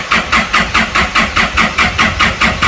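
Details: 2011 Isuzu D-Max diesel non-runner: starter turns the engine over in steady pulses, about four a second, but it never fires; scan tools show no engine speed while cranking; inlet metering valve appears to respond. Cause not found.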